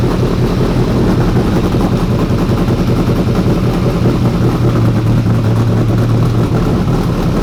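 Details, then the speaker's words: 1992 Ford F150 prerunner V8 after regulator fix, previously run very rich: loud idle with uneven loping beat that never settles; rough running, owner suspects fouled spark plugs needing cleaning or replacement. "so the plugs are probably still got to get cleaned up a bit after we ran it so rich or probably like kind of fouled out"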